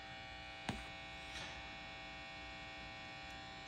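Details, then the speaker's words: Vintage Gibson BR-9 tube guitar amp on the bench: steady low hum with buzzy overtones that persists with both input tips grounded. Mains hum, source not yet traced. "Then, but even with the tips grounded, you're still getting some of that noise."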